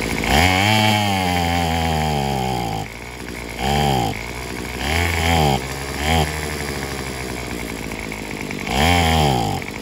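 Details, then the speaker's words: Craftsman WS210 four-stroke weed eater; a carburetor replacement did not help. Revs climb in short bursts, then sag and stumble back each time, as if fuel-starved. The owner suspects a partially blocked fuel line or possibly the muffler. "because it seemed like it sounds like it ain't getting no fuel enough fuel"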